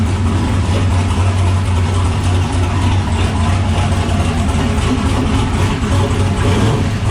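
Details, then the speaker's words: LS-swapped turbo car after replacing and welding the whole hot-side turbo exhaust piping: deep, even V8 rumble at idle with no ticking, hissing or puffing; no leaks, no holes left in the pipes, so no boost leak; healthy. "everything feels good everything sounds good she sounds like she's ready to go uh there's no leaks anywhere everything's cinched down tight"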